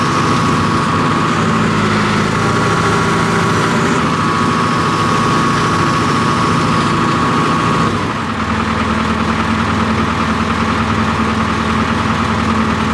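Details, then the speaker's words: John Deere 245G excavator diesel after emissions delete, cold start after repairing the No. 3 injector that was dumping excess fuel and causing black smoke: steady, even running with no fuel knock, note dips briefly under hydraulic load and recovers cleanly. "So the engine's still cold, and I was pulling on the functions, completely cleared up. And then also, obviously, the sound's much better. It doesn't have that fuel knock."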